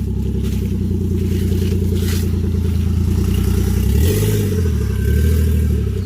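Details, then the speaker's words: 1JZ Toyota GS300 on stock turbo, exhaust removed, last drive before big turbo upgrade: loud, raw unmuffled low rumble with a flapping pulse dipping as the car creeps slowly along. "This is the last drive of the car with the stock turbo on it. That's it. No more stock turbo. As you can hear, the exhaust is off."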